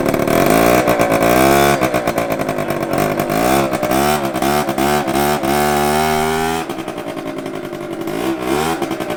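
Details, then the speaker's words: Two-stroke scooter with a new exhaust fitted with only one header bolt and no gasket, revving hard with an unusually loud raspy note; exhaust leak at the header. "Why does it sound so loud? It sounds like the fat. You can hear the fat exhaust leak though. 100%."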